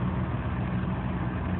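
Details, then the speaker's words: 2001 Chevy Malibu 3.1 L V6 after throttle body and MAF cleaning, run a few minutes with A/C on; smooth even idle just over 1000 rpm, no misses or surges; normal idle. "you can see the RPMs are now down to just over a thousand which is a lot better than what it was"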